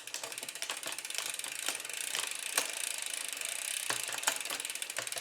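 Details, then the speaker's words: Poseidon Triton road bike in the big chainring, shifting through the whole cassette: steady freewheel ticking with crisp single clicks per shift, no grinding; normal shifting. "we're just checking to see if I can shift through the entire drivetrain okay so I've gone all the way up and all the way down the cassette while I'm in the Big Chain ring"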